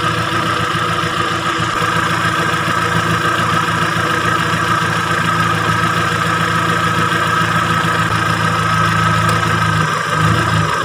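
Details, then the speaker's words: Timor DOHC (Kia Sephia S515i) fuel-injected engine at idle with the CO potentiometer turned below its lowest point: a thin, rough, hunting idle that sounds starved of fuel. It is then raised until the engine sounds normal. "Nah sampai suara mesin ini seperti kekurangan bahan bakar ya teman-teman ya. berarti ini sudah lebih kecil dari titik terendah."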